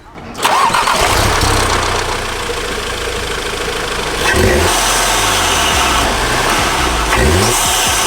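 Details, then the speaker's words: Audi TT with a newly fitted performance intake, first start. It catches quickly and settles to a smooth idle, with a couple of quick blips and a clear turbo whoosh; the turbo noise is back and it sounds healthy. "That is exactly what I wanted. The turbo noise is back."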